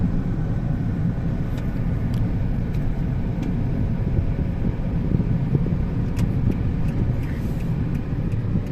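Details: 2004 Honda Stream driven after regreasing a failed bearing and resetting valves: steady low road rumble with no grinding, knocking or humming; acceleration good.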